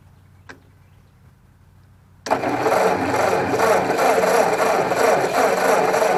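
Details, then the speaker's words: Ford 641 Workmaster tractor, field find sat 10+ years, fresh gas in a swapped carburetor: after a pause the starter churns at about three beats a second but it never fires; possibly flooded, starter failing with worn-out brushes. "well it's a try oops I might have flooded it let's let that starter cool down for a minute"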